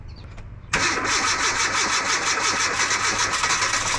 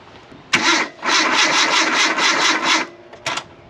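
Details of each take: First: 2008 Kia Rio sitting three years, after starter replacement and battery charging: starter cranks, engine catches, then runs rough with harsh metallic chatter over idle; abnormal start-up noise, cause unclear. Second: 2008 Kia Rio after sitting unused three years, new starter fitted, battery charged about 10 minutes: brisk even cranking whirr for about two seconds then a short second burst, engine not catching; normal starter cranking.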